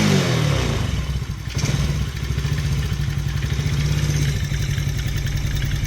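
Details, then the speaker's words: Taotao 125 single-cylinder, re-jetted, oil changed the day before, revving cold on a chilly day with the choke off: steady low drone with a fast light clatter on top. The top-end noise is not from the bottom end and typically goes away once warm. "It definitely seems to make some kind of noise on the top end though."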